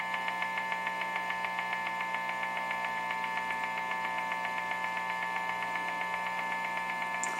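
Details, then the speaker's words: Guitar amp in home studio: steady electrical buzz with fast, even pulsing ticks that speed up while the LG TV is plugged in; TV interference, quiet once unplugged. "so the moment i turn it off unplug it it's quiet so i had double problem i had a wi-fi unit emanating some noise and lg tv"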